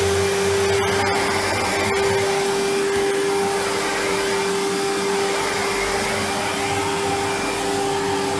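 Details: 1997 Sebo X1 upright vacuum on first power-up after collection: steady, even motor roar with a clean constant hum, no surging, rattling or leak whistles. Running healthy.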